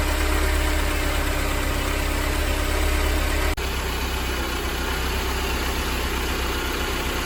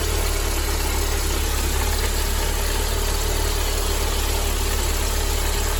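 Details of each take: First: Mercedes 190E 2.0 (W201, M102) petrol after replacing worn belt tensioner, damper, adjuster and belt: steady even idle and one smooth throttle blip, earlier rumbling noise gone, no squeal, chirp or rattle. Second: Mercedes-Benz W201 190E 2.0 (M102) idling with low steady rumbling (goro-goro) from a worn-out belt tensioner; tensioner, damper, adjuster and belt replaced, noise gone.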